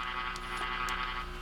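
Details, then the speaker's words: Purple G.E. Model 56 tube radio under troubleshooting: steady low mains hum with a fainter buzz (buzz from camera) through the speaker; hum passes through the volume control, suspected before the detector, AC getting in; tubes being checked. "But as you can hear, we still have the hum."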